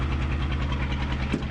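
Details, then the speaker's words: 1975 Chevy diesel stepside truck, driven after sitting 32 years: loud, raw, throbbing diesel beat with harsh crackle on every firing pulse; no muffler fitted. "anyway there's no muffler on there so it sounds a little rough"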